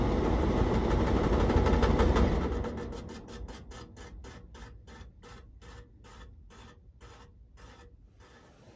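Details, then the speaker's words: Exhaust fan after its motor clamp was refitted, still hitting something: even scraping ticks about four a second, slowing as it coasts down. The blower wheel is bent and wobbling and rubs; it needs a new wheel. "yeah let's see that wheels bent you see it in there wobbling yeah it's not good so this wheel is no good"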